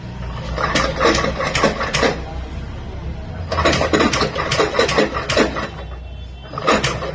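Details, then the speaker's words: TVS Jupiter BS6 125 scooter making bad, irregular clattering bursts at self-start and while riding at low speed. On opening, the clutch's grooves were found worn. "तो दोस्तों आपने इसकी आवाज सुनी है कितनी बुरी इसमें आवाज आ रही थी सेल्फ मानने में भी और गाड़ी को चलने में भी ऐसी आवाज आ रही है"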